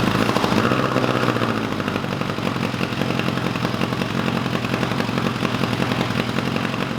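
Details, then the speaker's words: 1986 Kawasaki GPZ1000RX after carb rebuild and cooling-system work with new hose clamps, run a long while, temperature gauge about halfway: fast, even four-cylinder patter, no stumbling or knocking; normal warm idle. "i let it run for a good long while and the temperature gauge is reading about halfway so this fan should be kicking on any minute"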